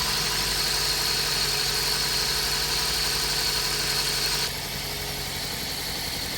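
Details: Toyota Corolla with P0303 cylinder 3 misfire code and flashing check engine light idles rough with an uneven, lumpy beat; engine shaking and fuel smell from the exhaust.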